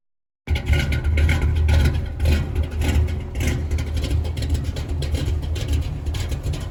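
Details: 1983 Chevy K20 V8 with Edelbrock 600 CFM carb and electric choke, cold start at about 30 degrees after sitting a couple of weeks: catches at once and settles into a deep, steady rumble with light revs. Healthy.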